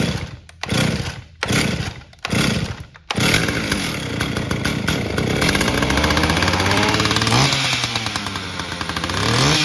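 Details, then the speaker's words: Stihl 032 AV chainsaw, gas tank halves resealed with new JB Weld on outside seam after fuel drained overnight; start with choke on, a few hard pulls then catches, revs and settles with even crackle: runs normally after repair. "So I'm gonna start it up here, verify that it will still run, and then I will see if the fuel drains out overnight, and I'll let you know."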